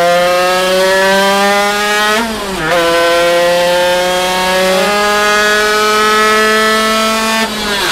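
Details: Zündapp KS50 two-stroke on a dyno: screaming wail near 13,000 rpm stumbles and drops sharply twice; piston seizure.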